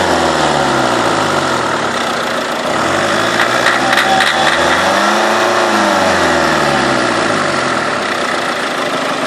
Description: diesel mini engine knocking